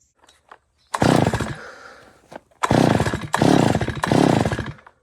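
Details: Stihl FS 250 R brush cutter after replacing primer bulb (dealer part needed modification) and refitting filter: small two-stroke fires and revs in three strong clean bursts; starts and runs healthy.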